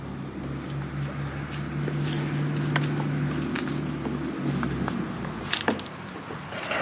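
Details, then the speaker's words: Featherlite 25cc string trimmer after carburetor cleaning and new fuel lines: burbles unevenly at low idle, then sags and dies after about four seconds; no-spark issue and scratched magneto later found, cause unconfirmed. Engine stalls at idle. "Boy, it doesn't like sitting there like that."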